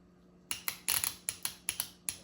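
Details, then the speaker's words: Transmission shift solenoid from a 1993 Honda Accord, bench-tested with battery power and ground: crisp, even clicks with no buzz or sticking. The solenoid opens and works properly. "As you guys hear that, that's just opening the little solenoids, and that is telling me that it's working without any issues."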